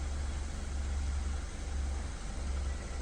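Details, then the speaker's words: BMW 320i engine idling after repair (engine removed and reinstalled, fault codes cleared): smooth low even hum, no noise, knocks or hunting, some smoke expected, coolant slightly high; previously screaming/wailing noise now fixed, normal idle. "funcionamento do carro agora tá suave sem barulho sem oscilação mais um BMW aí que foi salvo né"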